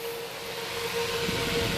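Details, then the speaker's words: Mid-1950s Bersted "Zero" 1250R electric desk fan after restoration, running under load with the blade refitted: a steady mid-pitched motor hum with a soft airy rush, no rattles or scraping; the earlier noise is gone and it moves little air. "But it runs. And there's no more noise, really."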